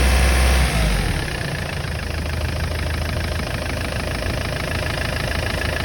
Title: непонятный свист турбины